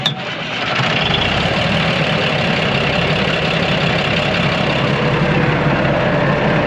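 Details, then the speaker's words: Big Bud 600/50 tractor losing coolant and smoking, with coolant possibly getting into the transmission: cranks and catches right away, then a steady, even diesel idle with no knocks or misses. Normal start and idle; the coolant loss remains a mystery. "Sounds good. Sounds like it should run, or the way it's been running, so."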